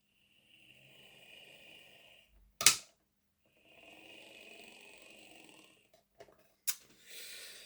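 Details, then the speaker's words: Heljan Class 23 model locomotive, sent in for running slow and clunky, after fitting a 3D-printed gearbox drive gear: thin, high buzzing whir with rough, gritty edge between pauses and clicks; noise disliked, printed gear suspected. "And I've had gears 3D printed before, and yeah, it's just not the same. I don't like that noise."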